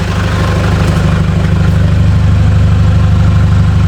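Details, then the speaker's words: Nissan Patrol ZD30 diesel, used replacement engine fitted after the original developed a tick, first run after the swap, heard from the front: deep, even idle, steady low beat, no misses or knocks; smooth, normal idle. "That sounds really nice, very smooth. I'm really pleased about that."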